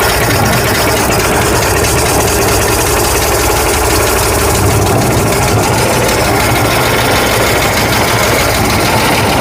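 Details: 1965 Ford F100 with 240 inline-six, first runs after carburetor replacement: loud, uneven, lumpy stumbling idle with no steady rhythm; owner thinks idle set too low, carburetor needs adjusting; rough idle.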